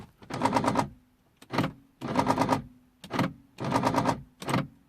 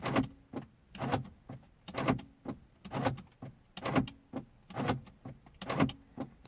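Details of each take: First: 2003 Mercedes C220 W203 driver's door lock won't lock even with mechanical key: repeated rapid buzzing clatter every second and a half as lock actuator cycles without latching; faulty door lock actuator. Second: 2003 Mercedes C220 W203 driver door lock, after its broken spring was replaced with a made spring: short motor whir and firm clunk about once a second, each cycle crisp and alike. Normal lock operation.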